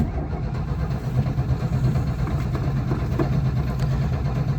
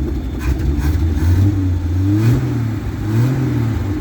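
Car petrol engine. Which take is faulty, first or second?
first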